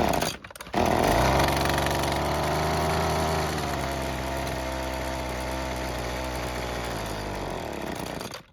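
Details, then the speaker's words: Worn, previously worked-on Husqvarna two-stroke trimmer after a new air filter box and filter: it catches, revs, then sags and runs raggedly before dying; lean low-speed mixture, L screw adjustment needed. "So it is starting and running for a bit but it won't stay running."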